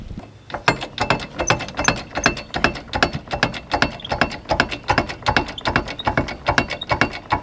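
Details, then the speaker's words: RV wheel that made a terrible noise arriving at the campground, jacked up near the spring with sparkly debris on the wheel, spun by hand. A rough, regular clicking scrape two or three times a second means something is coming apart inside the brake drum. "Oh yeah, something was coming apart in there. Yeah, something's coming apart in the brake."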